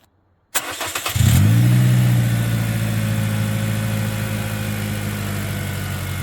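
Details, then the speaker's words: 2009 Pontiac Vibe 1.8L after new alternator and new belt: starts and settles into a smooth steady idle with light injector ticking and no whine; original whine was from the alternator, now gone. "hear a lot of the noise is coming from the injectors, I'm pretty sure."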